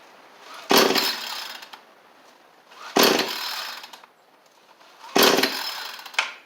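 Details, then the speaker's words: Small two-stroke trimmer with new fuel lines but still the old carburetor, pulled with spring-assist starter: three pulls, each giving a short rough burst of firing that dies; fires briefly but won't keep running. "So it did try and fire off there. It's more than nothing. That's good."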